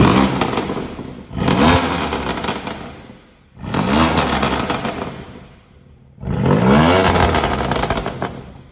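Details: BMW M2 Competition after repair of broken internal welds in the rear muffler: three clean revs rise and fall smoothly with an even, crisp exhaust note and no rattle or buzz.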